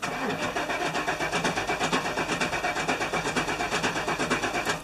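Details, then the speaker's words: 1997 GMC Suburban, fuel pump fuse/relay pulled before fuel filter replacement at minus 5 degrees: steady, even crank at normal pace that never fires, confirming no fuel delivery; crank no start with fuel pump disabled, pressure released. "Sure enough, it doesn't start. Perfect, so that's what we want, so we'll go and replace it."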